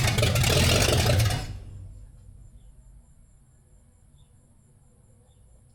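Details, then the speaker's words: 1974 Dodge Dart Swinger with an unknown small block, after correcting something that was 180° out: it catches and roars about a second, then fades and stalls because it is out of gas. Engine dies from fuel starvation. "need more gas in it. Yeah, it's definitely out of go juice."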